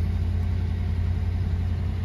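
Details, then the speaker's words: 1993 Cadillac Fleetwood Brougham, 5.7 L 350 small-block throttle-body-injected V8, cold start then idle: steady low even rumble with no knocks, misses or ticks; runs smoothly, normal idle, ran really good when bought. "it ran really good when I bought the car runs drives just like the day she was born"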